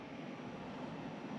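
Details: Newly installed Pioneer Diamante 9k ductless mini-split indoor unit in a woodshop, first startup after line connection and vacuum, set to 79: steady, even airy rush from the blower with no clicks, rattles or hunting; running normally.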